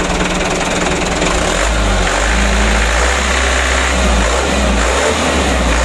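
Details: Mitsubishi Canter diesel truck after injection pump plunger replacement for hard starting: steady low clatter at idle that picks up cleanly when revved, no misses or stumbles; now starts and runs normally while idle is being adjusted.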